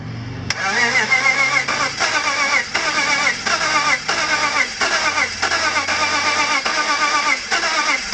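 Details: BMW M54 engine (E46/E39) with sudden very low compression, cranked after squirting oil into the cylinders: uneven cranking about two beats a second with brief weak catches that die. Cranks but won't start.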